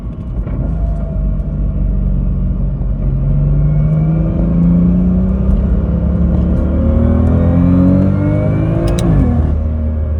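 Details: BMW M2 DCT with polyurethane transmission mounts from AliExpress, driving: rising gear whine climbing with road speed over the engine drone, carried into the cabin along with heavy vibration by the stiff mounts.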